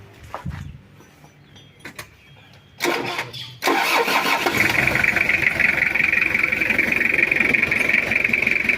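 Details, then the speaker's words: Toyota Kijang diesel after an engine overhaul (block work) for oil consumption, first start; short crank, then a steady, even idle clatter with no misfire or knocking; seal leak being tightened, idle to be set later: normal start and idle. "alhamdulillah aman untuk mesinnya ini kita biarkan gini dulu"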